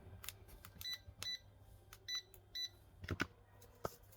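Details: Yamasu laser level, keypad after cleaning and refitting the keys with double-sided tape: crisp short beeps, one per key press, with clicks between; keys responding normally.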